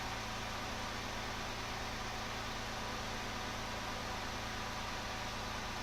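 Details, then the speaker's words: Porsche 997 idling after new coil packs for a misfire check engine light and codes cleared, in neutral: steady smooth idle with no stumble, the start-up pop it used to have is gone. "Yeah, idle's way smoother. We'll give it another couple seconds. No, idle's way smoother. It used to have a little bit of a pop when it started."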